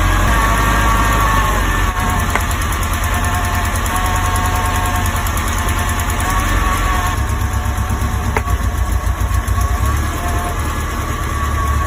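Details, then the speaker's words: Alfa Romeo Spider petrol engine misfiring, running on three cylinders at rough idle: uneven, stumbling beat while plug boots are pulled one at a time to find the dead cylinder; spark plug suspected. "now, the car is having a misfire. In order to find out which cylinder has the misfire, I'm first going to try and see if one of these spark plugs has gone bad by removing the boots from each cylinder as the car is idling rough."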